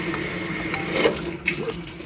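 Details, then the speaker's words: Hotpoint top-load washer in service diagnostic mode, fabric softener valve test: steady rush of water with no buzzing or chatter; softener valve opens and fills normally. "So I don't know if this has a fabric softener valve, but we'll try that. There we go, or the soap. It does have one."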